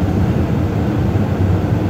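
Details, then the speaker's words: Brand-new Lennox furnace in attic, inducer draft motor replaced under warranty after rubber piece sucked in jammed it, possibly warping wheel: steady low rumbling hum with even airflow rush, no rubbing, scraping or ticking; healthy inducer after repair. "so I changed it out just in case does he never know it could have warped the wheel we're back up and running"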